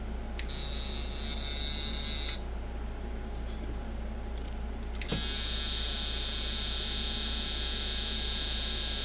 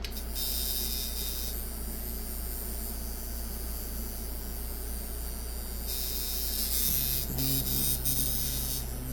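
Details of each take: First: eBay Micky Sharpz hybrid clone coil tattoo machine with large contact gap and too much spring tension: harsh buzz cutting out and restarting unevenly, doesn't want to run. Coil tattoo machine running poorly. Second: Mickey Sharpz hybrid clone tattoo machine from eBay, being tuned after a teardown. Runs around 130 Hz at 52% duty on about 7.3–7.5 volts. Even, fast electric buzz over a steady hum. Clean, normal running.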